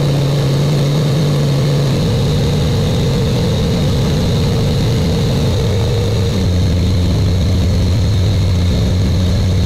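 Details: Buick Grand National with newly rebuilt engine, second 10-minute cam break-in run: steady deep, even drone at raised idle with a slight speed change partway through, no knocks or ticks; normal fast idle.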